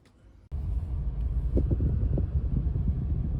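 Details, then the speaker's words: Toyota Corolla road test after replacing all four ignition coils for a misfire: steady low engine rumble with road noise, no stumble or uneven beat; no warning lights and no trouble codes afterward. Fixed. "so far no lights are on even a road test it quite far there's no lights on"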